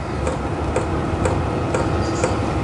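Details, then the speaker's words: Vevor portable diesel heater now fully operational on the low setting and lowest temperature, air getting hot: the fuel pump has slowed from rapid ticking to sharp ticks about twice a second over a steady fan whoosh. This is normal. "fuel pump has gone from going tick tick tick tick tick tick just to going tick tick tick that is now I think fully operational"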